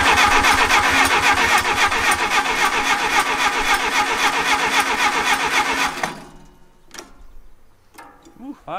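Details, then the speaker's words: 1959 Case 300B (311B) tractor, 4-cylinder gas engine, parked outside 10 years, cranking in neutral with choke on: starter spins it evenly and briskly for six seconds with no firing; no distributor impulse. "and this is our control wire as we're moving adds removes the ground so this one should be flashing and it's completely solid which means we're not getting an impulse from the distributor"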